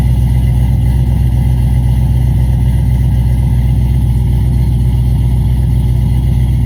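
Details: Cadillac CTS-V V8, newly tuned after new heads and cam, at idle: deep uneven stumbling beat with repeated dropped pulses; a misfire.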